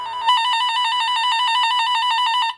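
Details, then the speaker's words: Cable toner set to tone, battery check by touching its own line before clipping to a speaker: clean warbling beep near 1 kHz pulsing about eight times a second, steady; toner working properly. "just creates a tone like that down the uh down the line or in this case the speaker should make that noise"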